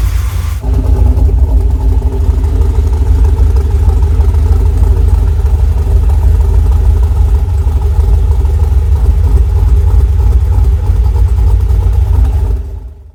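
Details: Freshly rebuilt LS1 V8 with very choppy Crow cam in a 1978 C3 Corvette swap, idling after first start: deep steady choppy lope, about three beats a second, evenly repeated; normal big-cam idle.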